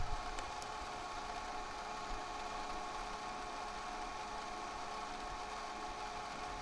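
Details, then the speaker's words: Sony DCR-TRV310 Digital 8 camcorder, rewinding a tape with the microphone moved close: faint steady whir with an even high whine, no bogging, slowing or labouring; rewind motor running normally. "I don't hear it bogging or slowing down or stressing too terribly much"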